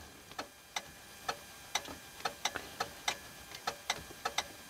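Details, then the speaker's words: Renault 110-150 Midlum 4x4 truck: light, sharp, unevenly spaced clicks about three per second, heard when the switch connections are touched; relay chattering from a bad, overheated switch connection. "On entend quand on touche les connexions de l'interrupteur, on entend claquer. Donc il y a bien un souci."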